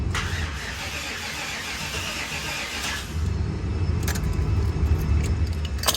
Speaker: Just for giggles, I know it won't start, but I just want to hear it crank.